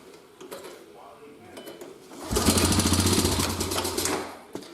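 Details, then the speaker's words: Old quad or mower, topped with gas, choke on, first pull: quiet handling, then the engine catches abruptly and runs with a fast, uneven putter about two seconds; normal start on the first pull. "That was actually pretty crazy. First pull and it fired up"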